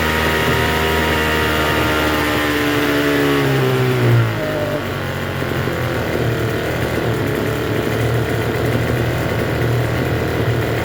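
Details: Troy-Bilt TB272V two-stroke leaf blower after turning the single-D half-moon carburetor mixture screw out about one and a half turns: revs high, pitch drops, settles into a fast busy buzz; runs but idles a little high.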